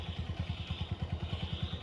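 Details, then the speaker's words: Honda Verza fuel-injected motorcycle after repair of a clattering, rough-running engine caused by running out of oil, with a broken part found: even, steady low thumping at idle, about eight pulses per second, no clatter or knock. Running normal again. "dan sekarang udah oke suara udah normal ya"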